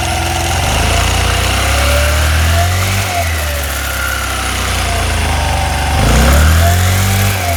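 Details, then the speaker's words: 1985 Honda Elite 150 scooter after belt replacement and variator weight check: small single fires up, blips a couple of times and drops to a smooth, even idle; belt drive healthy, normal start and idle. "Fire it up, see it in action."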